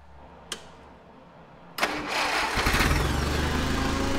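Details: Allis Chalmers FP-40 forklift after a complete fuel system overhaul, unrun for four or five months, with oil shot into the cylinders: a few cranks, then it catches quickly and settles into an even, steady idle at about three beats a second; it starts clean.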